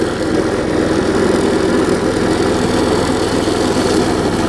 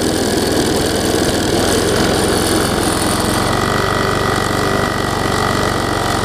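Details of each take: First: Quantum-powered 3.5 hp walk-behind weed trimmer with new carburetor, test run after tightening the loose belt, very old string; loud but steady drone with line whirring, no misses, knocks or surging. Normal running. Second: Quantum-powered 3.5 hp weed trimmer running on a newly fitted replacement carburetor that owner says is not perfect; fairly steady idle with a slightly uneven, wavering beat. Rough running from faulty carburetor.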